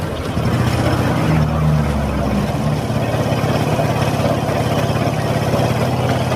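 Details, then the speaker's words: Honda Supra X 125 whose owner reports metal-rubbing noise in the clutch housing that gets louder and rougher when ridden; the mechanic suspects the clutch hub or outer is wobbling. At idle there is a coarse, crunching rumble. Worn transmission bearing. "nah seperti itu ya bunyinya ya teman-teman seperti bunyi krucuk di itu kendalanya dibawa jalan itu semakin dasar bunyinya"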